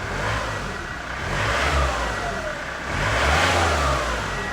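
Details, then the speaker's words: Healthy diesel engine at 207,000 miles after a fuel filter change, revved twice and settling back to an even idle with no knock or rattle. Injector beeping tone judged a sign of good injectors; a slight squelch traced to diesel on the belt. "207 000 mile trust us that's one of the best one of the best sound and engines you'll get for one of these with this mileage when you listen to it"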